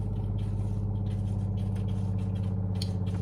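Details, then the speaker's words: SimPure Y7 countertop reverse osmosis water filter, new unit, just plugged in: it automatically flushes for up to 30 seconds after power-up, giving an even, steady low pump hum with a light rattle and no surging; normal start-up flush. "After powering up the unit, it will automatically flush for up to 30 seconds."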